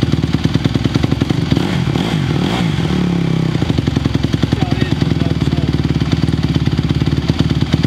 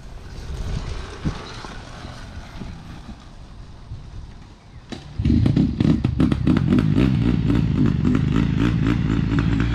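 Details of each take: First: 2020 Honda CRF150R big-wheel single-cylinder four-stroke dirt bike, long sat, started from completely cold on choke; steady thump, picks up cleanly on short blip and settles back; still a little cold, better throttle response choke off; normal cold running. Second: 2020 Honda CRF150R big-wheel dirt bike, sat unused and wouldn't start, first firing after pop start on choke; quiet start then ragged, uneven running stuttering about four times a second; they suspect it needs a carb clean; lean low-end stumble.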